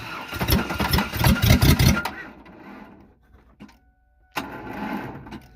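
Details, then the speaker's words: Ford Ranger 3.0 engine after hydrolock from water and nitrous in the intake: starter labours in an uneven, lumpy rhythm, slowing at tight spots, then stops; internals binding, connecting rod damage suspected. "oh yeah it wants to go again it absolutely does you can hear it's getting a little tight"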